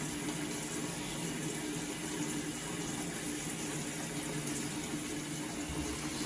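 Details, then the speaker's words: Avanti TLW21D2P portable washing machine filling, probably for the rinse: steady, even hiss and rush of water filling, with no chatter or hammering. No water leaks out through the hose lying on the floor, as a valve blocks it; normal water fill. "Okay, so right now the washer is taking the water, so everything looks good so far."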